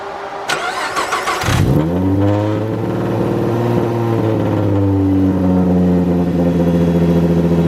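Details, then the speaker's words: Mustang 3.7 V6 with M122 supercharger and intercooler setup, startup after extending an evap hose; cranks, catches and idles with a slightly uneven, stumbling beat; tuning device showed a cylinder misfire, cylinder 4 plug gap found at 29, bumped to 30. "i went to go check and i was looking at my uh little tuning device and saw that uh we had a missed cylinder uh misfire"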